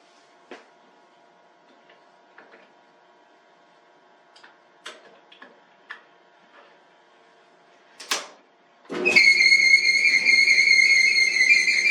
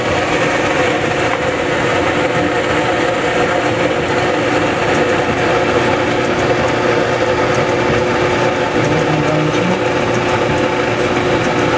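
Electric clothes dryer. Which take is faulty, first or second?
first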